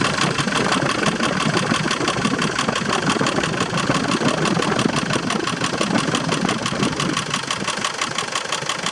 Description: Land rover Defender 300 TDI strange engine noise after timing belt change... loose timing belt? misaligned pully?